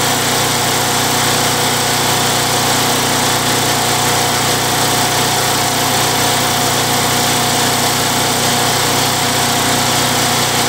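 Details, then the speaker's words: Craftsman Eager 1 mower with Tecumseh 92cc engine, after new recoil, fresh oil and fuel treatment for surging: steady even buzz with no rise and fall in speed; running smoothly, successful repair. "well guys well guys it's running pretty good um I think that's a successful repair"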